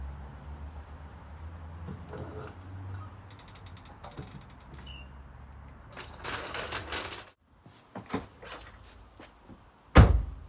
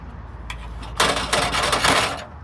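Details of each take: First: A single solid thud on shutting the boot of a Seat Leon, with no metallic rattle trailing after it. This follows the repair: the exhaust heat shield had dropped onto the backbox after its rusted clips failed, and replacement clips were fitted. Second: Seat Leon, rattle from the rear when the boot is shut or over speed bumps and potholes: brief tinny metallic rattle of the exhaust heat shield, its rusted mounting clips failed so it rests on the exhaust backbox; not heard when revving.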